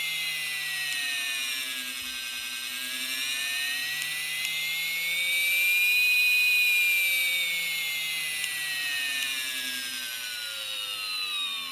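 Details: Motor with intermittent clicking: high motor whine drifting gently in pitch, broken by sharp clicks every couple of seconds as power briefly drops out; cause unclear.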